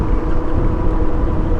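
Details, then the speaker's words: Metzeler Karoo 3 knobby adventure tires on a heavy motorcycle after about 2,000 km, coasting with engine off on tarmac: deep rumbling drone that rolls with road speed; the tires are very noisy on road. "See, these are the tires. They are noisy."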